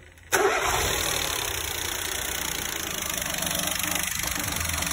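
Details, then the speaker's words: Peugeot 208 1.2 PSA three-cylinder after wet timing belt replacement (belt had 31 teeth missing, oil strainer blocked, oil pressure fault), first start after priming oil pressure: fires on first crank into smooth, even idle, no knock or rattle; healthy. "we are ready to start it core packs are in let's go right we're all good to go let's fire it"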